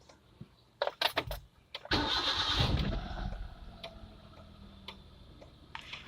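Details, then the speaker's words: Hyundai Eon starting and idling after adjusting the alternator drive belt tension, then with AC on for extra load; even idle with no squeal or chirp; normal engine start. "okay so here kinase turned on no unusual sound and then sounds good no squeaking noise"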